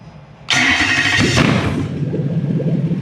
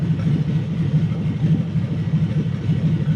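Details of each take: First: Toyota 3UZ V8 on Haltech Elite 2500 ECU with drive-by-wire, warm: fires with a sharp burst then settles into a slow, lumpy low rumble around 500 rpm; idle too low because ECU is not controlling idle. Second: Toyota 3UZ-FE V8 newly wired to a Haltech Elite 2500 ECU with drive-by-wire but no idle control yet, warm: deep, even burble at a low idle around 500 rpm, steady with no misses, normal idle.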